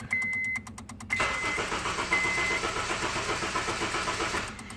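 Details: 2009 Honda Civic no-start: quick clicking of the fuel pump relay, then the starter cranks the engine about three seconds without catching, no spark.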